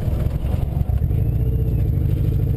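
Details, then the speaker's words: Heavily modified 1998 Mazda 626 chop-top while driving: a low, lumpy note with uneven pulses as it misfires badly; owner unsure why it runs poorly, suspects a bad wire. "Yeah, now she's misfiring kind of bad."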